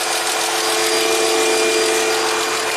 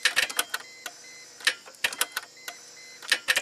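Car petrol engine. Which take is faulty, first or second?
second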